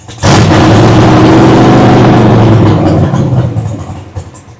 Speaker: we are cooking with fire we are cooking with fire now damn that thing sounds good